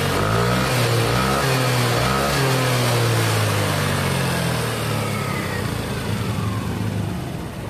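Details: Yamaha NMAX scooter after repair of a rough-sounding head, diagnosed as a loose rocker arm (pelatuk) rather than the cam chain: it idles, then blips up and settles back, pitch climbing and falling cleanly with no rocker tapping.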